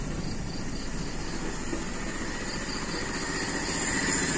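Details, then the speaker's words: Toyota Kijang Super carburettor engine after the vacuum leak is sealed: even, smooth idle with no stumble but noticeably slow, since the leak's extra air no longer raises rpm; idle must be turned up. "halus tapi ini terlalu rendah ya karena kan tidak ada tambahan angin yang bisa menaikkan RPM"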